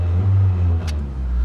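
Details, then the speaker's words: 03-08 Toyota Matrix, about 250,000 miles, after starter replacement: short clean rev blip over smooth even drone, no knocks or rattles; runs fine, though rear motor mount is broken and a smog-related issue remains. "but you guys can see it's working it's great give it a little rev"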